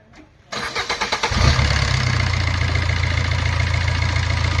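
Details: Maruti Ertiga after timing chain kit replacement for abnormal engine noise: brief crank, catches and settles into smooth even idle with no ticking or rattle; noise gone.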